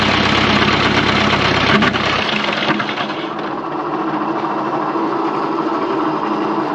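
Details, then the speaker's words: 1954 Fordson Major diesel tractor first start, fuel bled to pump: rough idle with steady heavy knock about three times a second; owner suspects worn bearings or possibly engaged starter, unconfirmed; engine knocking. "I wonder is there any bearings left in it okay hm ah I wonder was that starter making that noise cuz the starter is engaged maybe"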